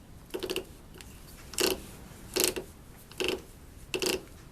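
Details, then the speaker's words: Whirlpool LSR7233DQ0 top-loader washer agitator shaft clamped in vise, gear turned by hand: slow bursts of sharp clicking, about one a second, heavy ratcheting; worn agitator cam dogs. "And the problem with this machine is that it started to develop a very heavy ratcheting sound that sounded like this."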